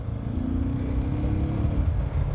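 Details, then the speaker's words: Suzuki DR650 single pulling steadily on the road at high altitude in Quito after a mechanic repaired a vibration and engine noise: deep, even, grunty thump firing clean with no stumble. Air filter snorkel removed to let in more air. "So yeah, that's uh that's a hell of a lot better. You can just hear it hear the sound as well. Grunty for sure."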